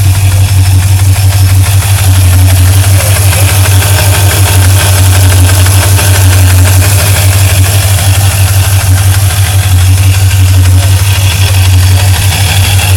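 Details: Loud steady engine idle with a fast, even tick of about three per second over the low rumble; ticking source undetermined.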